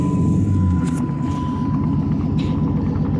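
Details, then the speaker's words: SRT8 V8 at idle: deep rumble with a light, fast tick about four a second, from an exhaust leak after recent exhaust work, not the motor; the tick is audible underneath the vehicle. "right now um if you hear the ticking noise it's got an exhaust leak"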